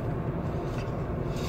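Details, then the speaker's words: Renault Clio III on test drive after wheel bearing replacement (and timing belt job): smooth steady low road rumble, no hum or growl from the wheel; bearing noise gone. "donc voilà on essaie ont mal vécu les bains impeccable plus de bruit"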